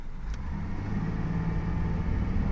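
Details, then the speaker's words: Holden VZ Commodore road tested after diagnosis of an intermittent miss (plugs and two coils replaced earlier), full throttle up a steep hill: deep, smooth rumble builds evenly with no stumble or hesitation; pulls cleanly, no misfire. "no Miss no hesitation all good sweet back from the road test and it is driving very very nicely"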